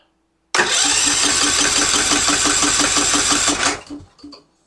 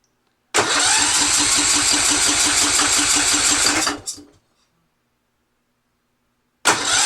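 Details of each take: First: Yard-sale Husqvarna riding mower with Kohler engine, new Chinese carburetor, choke not fully engaging: starter cranks steadily about three seconds without firing; cranking normal and fuel pump delivering fuel. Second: Yard-sale Husqvarna riding mower with Kohler engine and new aftermarket carburetor, old gas drained, on choke: fast even cranking with a choked, wet-sounding turnover that almost fires, then stops; cranking without starting.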